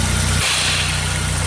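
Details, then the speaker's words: Nissan Sunny Y11 AD wagon after engine swap, intermittent crank no start with P0335, running with crank sensor unplugged; uneven lumpy stumbling idle; misfire at idle, cause not confirmed. "uh when so the crank sensor with the crank sensor unplugged the car starts up but you have a Mis file right and when the when it plugs in it doesn't want to work"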